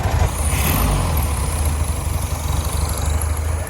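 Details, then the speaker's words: 1967 VW Beetle air-cooled engine with a varnish-filled carburetor, now running on its own fuel system with the tank in the spare tire well: steady low chug with no stumbling or misses. Fuel looks clean, no longer blowing debris from the exhaust; normal running. "So will she run? Absolutely she will. On her own fuel system now."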